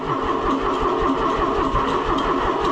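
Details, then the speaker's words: Tractor started cold, sluggish labored cranking with uneven chug about four beats a second, a spot sounding almost dead before catching; starter suspected to be giving up, not confirmed. "It has a place in it that sounds like it's dead almost. Almost. It'll come into it."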